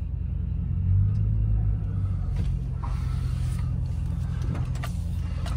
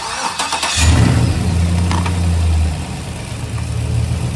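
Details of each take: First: 2006 Chevrolet Silverado, used 5.3L V8 just swapped in, first test drive: steady low rumble with no knocking or other noises, temperature good, oil pressure rising with throttle. Normal engine running. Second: 2006 Chevrolet Silverado, used 5.3L V8 first start after install, no coolant yet, MAF sensor unplugged, won't start from the key: rough idle with a weird clunk at first that kind of goes away; source unknown.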